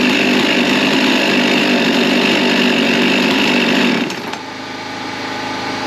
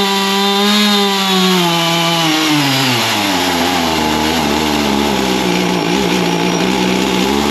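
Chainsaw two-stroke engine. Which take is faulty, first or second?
second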